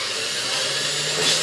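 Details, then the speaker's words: Restored vintage Hamilton Beach Model C mixer with new cord: steady high-pitched motor whir, even and smooth with no scraping or stutter; the brushed motor runs very well despite its age. "so Singh runs incredibly well I cannot believe how good this thing runs considered the age of this machine"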